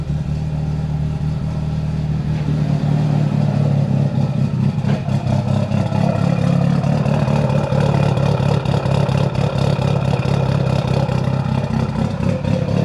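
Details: Built Mitsubishi Evo 8 with Kelford 272 cams, after a failed IAC was swapped for a 2000-up Eclipse throttle-body IAC and the tune given more fuel. Deep idle with an uneven loping pulse and slight clatter: big-cam lope. Owner says it's not 100% smooth yet.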